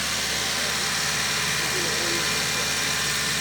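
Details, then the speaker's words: 2002 Ford Focus that had no cooling fan operation and no codes, after a repair: the radiator cooling fan now runs with a steady airy whoosh over a smooth idle, with no rattle or whine, and heat is coming off. "okay there's our fan control feel that and there's heat coming off there sweet look at your fans"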